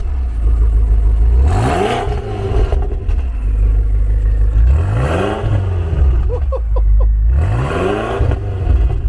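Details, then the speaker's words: Car with freshly built fully forged engine: three quick throttle blips, each climbing sharply and dropping back to a deep, even idle, crisp and clean; aggressive, healthy revving. "Man, that sound aggressive. Whew. This is gorgeous."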